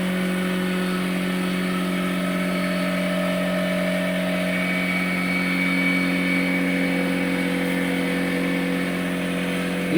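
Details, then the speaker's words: Kobalt 6-gallon portable pancake air compressor, new out of the box, first run building tank pressure to about 75 psi: steady, even motor-and-pump drone with constant low hum and no knocks or rattles; normal run. "guys. It's going really good. >> All right, we're at 75."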